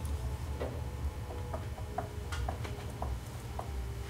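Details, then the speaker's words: Baker factory 6-speed tapered roller bearing kit, main drive bearing hand spin check after installation: spins freely like a skateboard wheel with soft even tunk about twice a second, no grinding; normal, installed straight, dial indicator check next. "this bearing feels like it's spinning freely like a skateboard wheel would doesn't have any where it stopped so we know it's installed nice and straight"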